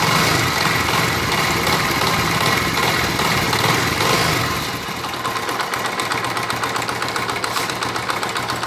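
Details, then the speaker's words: Worn timing chain on a motorbike, revved up: a busy metallic rattle from the top end rides over the running engine and drops back as the revs fall; fix is to open the head and replace the chain. "तो फ्रेंड्स, अभी इसमें आपको शोर की आवाज़ आ रही होगी, यकीनन सिर की आवाज़ आ रही होगी आपको। ये जो साउंड आ रही है यहाँ पर, ये जो साउंड है ये बेसिकली टाइमिंग चेन की साउंड"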